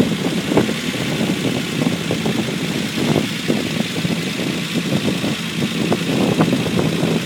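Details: Unimog 404 first start-up after rebuild with new fuse boards and a rewire: steady idle with mid-pitched chug and a few light irregular pops, no knocking; normal idle.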